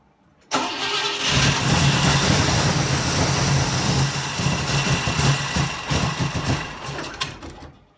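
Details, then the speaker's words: 1960 Pontiac Ventura barn-find V8 with Tri-Power carburetors (outer carbs disconnected), timing advanced to previous setting: cranks and catches, runs lumpy with irregular pops, misfiring and backfiring through exhaust and carburetor; owner suspects fouled plugs. "beast just refuses to run on all eight cylinders and can get it to run so so as you see it's still wanting to miss its shaking and shimmying backfiring both out of the exhaust and out of the carburetor"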